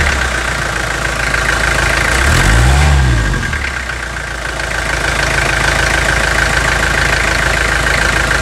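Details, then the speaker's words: 2003 Toyota Hilux 3.0 naturally aspirated diesel, 5,000 km after overhaul, before adding Bardahl Prolonga: rough idle with a steady knock about four times per second over the clatter; worn engine. "vamos adicionar agora o bardhal prolonga diminui o barulho do motor reduz a fumaça excessiva evita vazamento certo esse motor aqui está justamente no ponto a gente usar esse prolonga nele"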